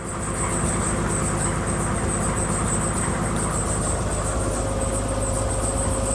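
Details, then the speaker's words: 1963 Ford Falcon Futura heater blower running after new heater plenum and defrost ducts were fitted: even, steady rush of air over a constant low hum, no rattle, squeal or scraping; blowing out good, though owner thinks the blower wheel may need replacing. "ah maybe I got that backwards well that thing's blowing out good"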